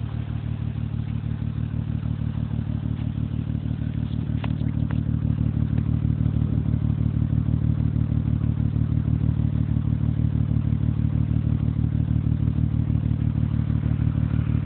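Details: 2005 Acura TL 6-speed manual recorded at exhaust tips: deep lumpy idle with uneven chuffing about three pulses a second and loud valve noise; misfire at idle, cause suspected, not confirmed.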